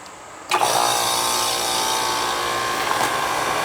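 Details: Ground-level commercial AC condensing unit that wasn't cooling, after fitting separate 80 and 10 capacitors: silence, sharp kick-in to steady hum, fan whoosh and even light whine; fan and compressor start properly.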